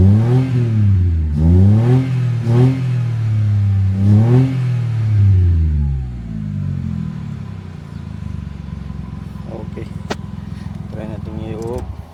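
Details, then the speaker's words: Mitsubishi Mirage automatic after the fix (new fuel pump motor, blown 15A fuel pump fuse replaced): starts on one click, a few quick blips rise and fall cleanly, then it settles to a smooth, even idle; starts and revs normally. "on start one click mga sir Try nating off ulit on start okay solve na to"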